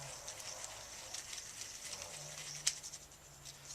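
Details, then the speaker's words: Roadside-find rolling cabinet caster, previously locked, apparently by grit, and apparently never greased, washed out with WD-40, spun by hand: faint even hissy whirr with light patter, no grinding. Bearing now turns freely, synthetic grease to follow. "i don't know if you could hear the grip there but i kind of just spun it around and now it's turning pretty well"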